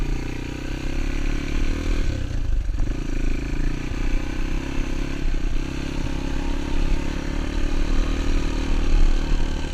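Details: XR200 single-cylinder on its first test ride after a full transmission rebuild and other new parts. The steady thump has no knocks or grinding; the ride felt smooth, so it is running normally.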